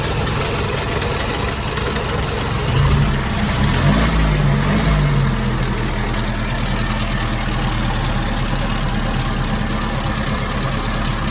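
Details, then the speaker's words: 1961 Triumph TR3A with twin SU carburettors, warm idle during ColorTune mixture check: steady, slightly lumpy loping low rumble; mixture very rich, adjusting nut to lean it off until flame turns blue. "It's very rich. Very rich. So, I've got to try to adjust that nut down until it starts turning blue."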